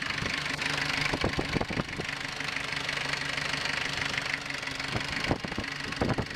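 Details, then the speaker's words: Rare 1983 Ford Ranger with factory 2.2L Perkins 4.135 diesel, fed from a jerry can into the lift pump to bypass a suspected tank issue: catches quickly and settles into an even idle with normal light clatter. "my dumping fuel in there that fires right up sound good"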